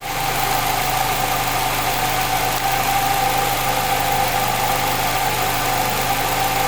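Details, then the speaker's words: 2016 Nissan Rogue, brand new with 1,800 miles, idling: steady mid-pitched whine above even running noise, audible even with hood closed; dealer calls it normal, owner suspects a dry bearing—engine whine at idle. "2016 is Rogue it make like a weird noise on the engine I don't know if that is normal"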